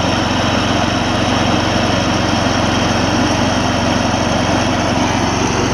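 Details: Old Gravely 16 Professional walk-behind mower, sat a while, formerly frozen mower deck now freed and working: steady, even engine drone, blades spinning smoothly, no knocks, squeals or belt slap; deck runs healthy, belt longevity uncertain.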